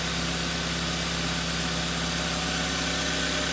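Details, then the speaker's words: Hyundai i30, 195,000 km, after a full engine overhaul for a heavy diesel-like knock and oil consumption, heard outside the car: a smooth, even idle with a steady low hum and no knocking or tapping; the earlier knock is gone. "работает ровненько чистенько все хорошо я не был от нет такого деления как было раньше однозначно"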